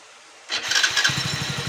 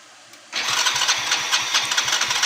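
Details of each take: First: Hero HF Deluxe BS6 motorcycle after washing a carbon-clogged throttle body (nozzle, oxygen sensor, plug checked fine), which had caused stalling after start: starter catches at once and settles into an even steady idle, no longer shutting off; normal start and idle. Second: Hero HF Deluxe BS6 motorcycle with fuel pump fine, starting then shutting off repeatedly, no pickup, stalling when slowed: catches abruptly and runs with an uneven lumpy beat that won't settle.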